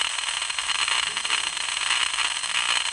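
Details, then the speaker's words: Ultrasound of a 2000 amp low-voltage main power circuit breaker, which should be silent: steady harsh high-pitched crackling buzz with 60 Hz peaks, ongoing for two years, indicating arcing or tracking. "what about the tonal quality should a 2000 amp low voltage power circuit breaker sound like this it sure shouldn't it should be totally silent and this has been going on for two years"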